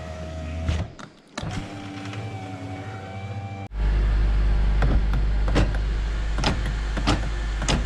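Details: 2008 Honda Element door after replacing the failed window motor: smooth, even motor whir as the glass travels, clean stop, no grinding or clicking; window works normally after repair.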